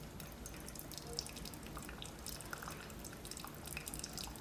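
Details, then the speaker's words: Keurig Supreme after repairing the tripped thermal cutoff on the heating element, second 10 oz brew, heater and pump kicking on; soft pump hum under steady trickle and drip; brewing normally. "it's going to take a moment to run the heater pump's going to kick on and just like that"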